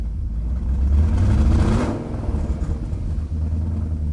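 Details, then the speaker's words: 1998 BMW 740i E38 after a fuel pump replacement, fuel pressure at 40 psi, O2 sensors removed, which makes the exhaust loud and open. The engine picks up cleanly on throttle and settles back with no stumble or misfire; fixed. "The sound you're hearing, those are the O2 sensors that I've removed. But we fixed it."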